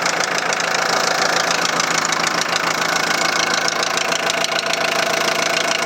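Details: 2001 VW Transporter T4 1.9 TD diesel at idle with a sharp metallic knock, about three a second in steady rhythm over the clatter. The head was first suspected; teardown found big-end bearings almost worn through on clean journals: rod knock.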